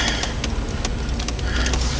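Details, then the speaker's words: 2003 Dodge Intrepid 2.7, under 84,000 miles, turning the wheel at parking speed: irregular creaks and sharp pops like pop rocks, with heavy steering; a worn strut plate (top mount bearing), the car's second pair. "That's a bad strut plate. It's not so bad driving it with the steering, but it's kind of hard for me to turn this with one hand."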